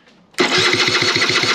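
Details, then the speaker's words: Ditech SR50 scooter with an intermittent no-spark fault for about nine months, ECU and coil already swapped: quick even starter whirr about eight pulses a second, weak with low battery voltage, never firing; cranks but won't start. "i think now the voltage is low and it's not spinning over that strong"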